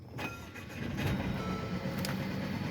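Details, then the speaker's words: 2017 Mercedes-Benz CLA250, 2.0-litre four-cylinder, running with cylinder 3 fuel injector stuck open, blowing raw-fuel-smelling smoke, engine light flashing: uneven stumbling exhaust beat with irregular dips; misfire from stuck-open fuel injector. "standard you know misfire this feels like it's running poorly four-cylinder so it's really apparent"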